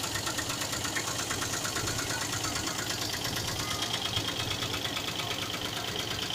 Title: Engine knocking sound